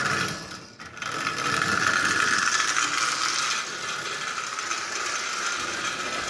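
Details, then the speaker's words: Marx 999 toy locomotive assembled from parts with standard pushrods: fast, even clicking over the gear whir as the pushrods still slightly tap the front crossbar; they need shortening a bit more. "those pushrods are still slightly tapping that front crossbar so I've got a shortened just a bit more"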